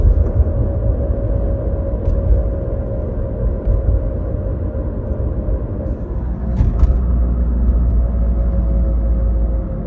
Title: 2009 Acura TL SH-AWD vibration/whirring noise